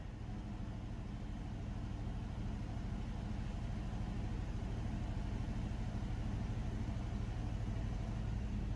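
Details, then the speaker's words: Chevrolet S10 pickup off the road since 2019, after fuel tank swap and valve cover cleanup from a mouse nest: low, lumpy idle about three beats a second, won't idle cleanly; owner suspects debris still plugging injector, planning Seafoam. "still don't want to idle must still be some stuff plugged in that injector we're going to put some seaf foam down it hopefully that'll help it out"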